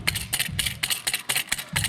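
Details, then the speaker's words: 1994 GMC Sonoma (Chevy S10) V6 endurance race truck, transmission removed, clutch release bearing spun by hand: rough, gritty scraping bursts. The cheap bearing supplied with the clutch kit is worn out; the clutch itself had not failed. "Doesn't sound good. It does not sound good at all, does not look good. So that's what happens when you use the free China bearing that comes with the China clutch kit when you're stuck."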